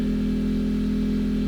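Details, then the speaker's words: Portable generator charging a Tesla via a J1772 portable charger at 14 amps, output 119 volts: steady even hum with firm low buzz, no surging or hunting; holding load, though owner worries it's stressful. "It's running 14 amps. It might be very stressful on the generator, so I don't know."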